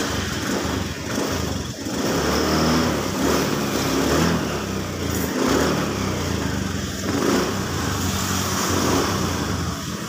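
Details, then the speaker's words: Honda Scoopy scooter revving up and settling cleanly with no stutter after a repair: it had a lit MIL with a 7-short-blink code, which cleared once the sensor was reconnected. Throttle response is now normal. "Oke sekarang langsung kita Nyalakan oke sekarang sudah normal kita cek gasnya sekarang"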